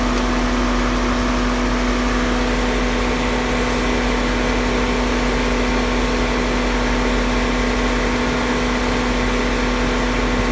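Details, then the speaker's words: Car AC just recharged with engine running: steady idle and constant low compressor hum, no rattles or squeals; system full, compressor clutch cycling on and off at its set point, center dash duct holding 46–48 degrees; normal operation. "all right so we are full and the compressor is cycling on and off because it has reached its minimum temperature it's hit its set point"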